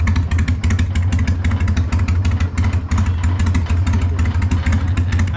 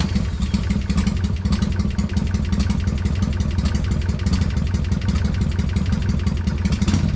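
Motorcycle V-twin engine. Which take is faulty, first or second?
second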